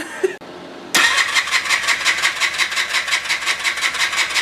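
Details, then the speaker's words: Polaris Xplorer ATV after starter replacement, started by touching wires together: starter catches and the engine fires, then runs rough at a fast pulsing beat, sputtering rather than settling to idle; fuel was leaking from a line. "so it started for a second it's spotter she's very impressed you got a video of it right yeah yeah so you could hear it sputter so just be satisfied with that"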